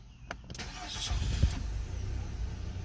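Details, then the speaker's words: Nissan Altima 2.5L four-cylinder, 101,000 miles, codes P0011 and P0300: cranks, catches with a low, uneven rumble, then falters and stalls. Shaking and rough running caused by a faulty intake valve timing solenoid. "If you notice, it just stalled out. And we shut it off. Start it again. So this is what the customer complaint is. Okay, now it starts and stalls right out."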